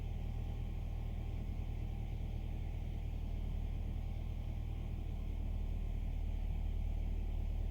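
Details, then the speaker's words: 2015 Nissan Altima 2.5 with P0014 and P0300 codes and rough, missing idle, after replacing the faulty stuck part: low steady rumble, no shake, stumble or misfire, idle slightly high then dropping: normal idle. "it's not shaking no more no misfire no idle is not rough no more"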